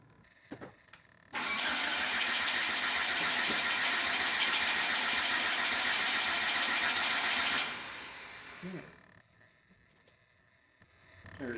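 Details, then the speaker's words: Hyundai Elantra being converted to E85 with new 1200cc injectors, after rewiring and battery charging: starter cranks steadily about four turns a second for six seconds, never fires; no fuel because fuel pump test connector was left unplugged. "no fuel ex what did I do wrong I had to do this it's got to be me"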